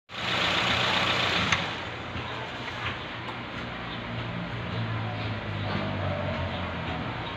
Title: Cause of hard start